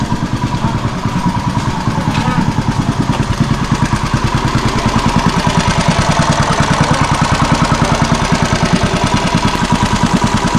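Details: Engine previously repaired with a new gasket and screw runs with a fast, even firing beat of about eight pulses a second and no misses or stumbles: smooth and healthy.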